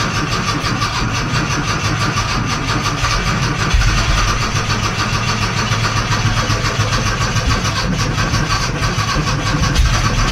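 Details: 1982 VW Westfalia with swapped Subaru engine, first start after long time without fuel, no fan fitted: steady cranking catches and settles into an even continuous idle; engine starts and runs.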